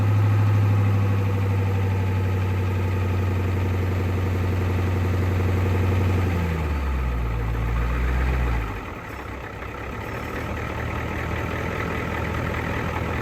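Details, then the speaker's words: 1988 Ford F350 7.3 IDI diesel, revived after sitting since the 1990s, with a new fuel filter and fresh diesel fed from a jug by pump: steady, even idle clatter with no stumbles or misses, then switched off. Normal idle. "She runs. Let me see if she'll take gear."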